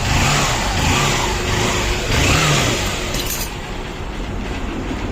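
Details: Honda Shine motorcycle after repair of timing chain and tensioner noise: revs up and settles cleanly, smooth even firing without chain rattle or tapping; timing side sounds healthy.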